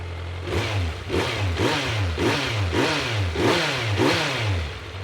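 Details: 2022 Kawasaki Z900 at its 600-mile first service, just started after fresh oil, oil pressure light off: clean throttle blips rising and falling about every half second, crisp and even with no knock or rattle; healthy engine.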